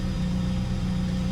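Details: Fiat Siena after fuel pump repair, previously hard starting and dying; fuel pressure now about 3.5–4 bar: smooth, even idle with a steady low hum, no misses, knocks or hunting. Normal idle.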